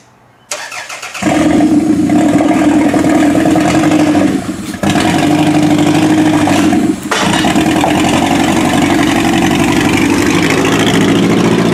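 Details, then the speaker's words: Demolition derby car started and driven out of the shop, shifted by hand without a shifter cable; engine cranks, catches, then runs and revs uneven and lumpy with dips, not running well, needs more attention; axles also clicking. "I think this car needs a little bit more attention. It doesn't sound like it's running very well, so I'm going to have to put some more effort into that car, that's for sure."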